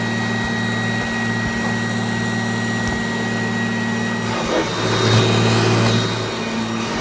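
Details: 1997 Kirby G5 upright vacuum cleaner fitted with a metal fan in place of the original polymer fan; steady motor drone with an even fan whine that holds pitch, briefly surging as it moves; normal running.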